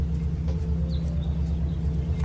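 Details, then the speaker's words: 1999–2006 Chevy Silverado 1500 driving after front wheel hub assembly replacement, steady low road rumble with no growl, hum or crunch; normal new wheel bearing. "and this right here is how a new bearing or wheel bearing should sound like oh you guys in here absolutely no noise"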